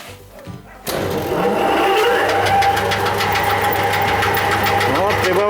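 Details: Tractor alternator on a 4 kW test bench under about 2–5 A load: a steady drone whose tone rises and holds as revs climb, an even loaded hum. Humming and heating under load are normal.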